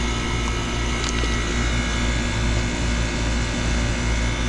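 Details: Old York condenser after replacing the defrost control board and contactor (fan motor previously not running): steady low hum with even fan rush, no rattles or surging; running normally.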